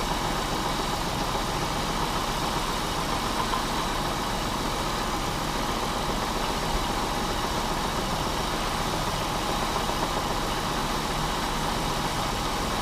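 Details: Pontiac Bonneville 3.8 V6 after being blown, coolant in the oil and oil in the coolant, oil pressure normal, warm idle: rough uneven knocking tapping through the engine note; rod knock.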